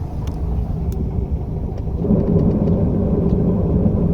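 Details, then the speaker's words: Type 4 engine, old recording in neutral with clutch out: coarse low rumble and rattle under idle, growing rougher, that disappears with clutch in; worn transmission bearing confirmed as cause. "Is that bad or what? It's just let me put the clutch in again. See how it magically disappears? So there you go. It was the bearing."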